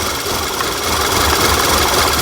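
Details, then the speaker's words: 2011 VW Tiguan turbocharged, random misfire code P0300, air cleaner lid off with propane fed into the MAF: stumbling lean misfire at idle, smoother with added fuel; under-reporting MAF or induction leak suspected, smoke test planned. "So it runs considerably smoother with more fuel. I'm turning off the propane. So it's definitely running lean for some reason."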